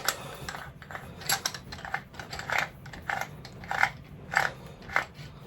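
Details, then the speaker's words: New Vevor 4-inch lathe chuck, scroll turned by hand: irregular dry clicks and crunches about once a second; the scroll is rough and ratchety, though it may improve with use. "quite ratchety, as you can hear. But it's new, so it might get a bit better."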